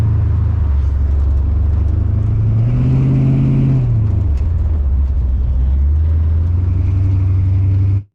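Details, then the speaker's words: TH350 automatic transmission after governor gear replacement, new filter and fluid top-up, no leaks: revs climb then drop cleanly on each upshift with smooth pull between; shifts nicely without slipping, all three gears back. "actually it still shifts nicely doesn't slip or anything stupid like that it shouldn't do"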